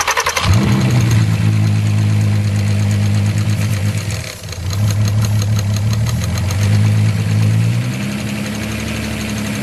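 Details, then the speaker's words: Totaled VW R32 VR6 after it finally started, leaking oil: catches and settles into a steady, even idle with a smooth low rumble and no knocking; runs great; normal idle. "runs great though it sounds like it no knocking nothing crazy"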